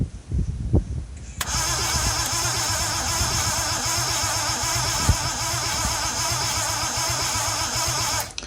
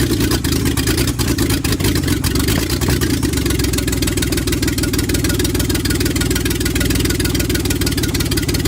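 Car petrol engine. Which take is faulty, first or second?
first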